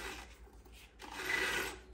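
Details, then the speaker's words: Polaris Sportsman 550/850 primary clutch turned by hand: dry gritty rasp of a rough idle bearing, discolored, suspected of heating and seizing, grabbing the belt and causing hard shifting; to be disassembled and greased. "take it apart and grease that idle bearing yeah you can you can hear it it's"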